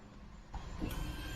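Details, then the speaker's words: Foxbody Mustang after fixing low voltage on fuel pump circuit and reinstalling ECU: low electric hum about a second at key-on, then stops; fuel pump priming normally, fuel restored. "you guys hear that that's yes I'm so excited guys that was it that was it holy crap we finally have fuel"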